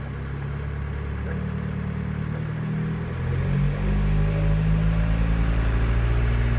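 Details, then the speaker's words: Mk4 Jetta TDI after exhaust modification: loud uneven diesel idle with a chuffing pulse rising with revs, little flow out the back; exhaust leaking at poorly joined pipe sections. "all right guys so as you heard it sounds like leaky leaky leak"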